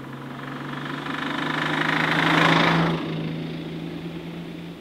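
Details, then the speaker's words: Nissan Stagea RB25 engine driving about 100 km on the road after it started rattling: steady engine drone with a metallic rattle swelling and fading with revs; broken RB engine rattle. "that rattle hurts my feelings."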